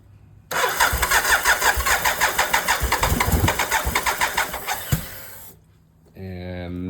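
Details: 1988 BMW K75S that sputtered, died and won't restart; fuel pump runs, fuel flows, plugs cleaned: starter cranks steadily about three beats a second for several seconds, engine never catches.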